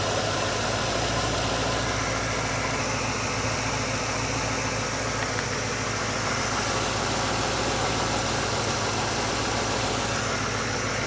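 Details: GMC truck V8 with an Edelbrock VRS-4150 650 CFM carburetor replacing the 950, idle mixture and speed set: smooth, even idle with a steady low rumble, no miss, stumble or hunting; healthy idle.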